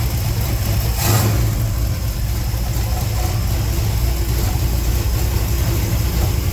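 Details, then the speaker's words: 355 small-block Chevy V8 in a 3rd-gen Firebird, first start after re-lashing the valves with a quarter turn of preload. Deep, steady idle just under 1000 rpm, no lifter clatter or ticking, good idle air-fuel ratio. "not bad not bad at all idling just under a [Music] th000"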